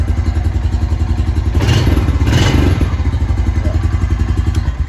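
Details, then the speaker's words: Honda TRX350 Rancher 350 quad after carburetor cleaning and clearing a barely clogged pilot jet; steady low single-cylinder thump with a brief throttle blip, now running without choke, which it wouldn't do before; normal running. "oh look at that we're already running without the choke on which it wouldn't do before"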